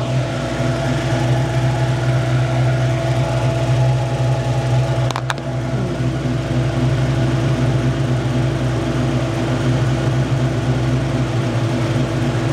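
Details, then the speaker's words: Ford Foxbody with a GT40-build engine, warmed up with the fan running, after its weak stock injectors were swapped for 19 lb Explorer injectors. The idle wanders and dips around 750 rpm (gauge hard to read) before recovering: unstable idle, not fixed. "idle it's kind of dipping round 750 is it's hard to tell with a dial on that thing it's like 1,000 RPM 500 and then there's like nothing between"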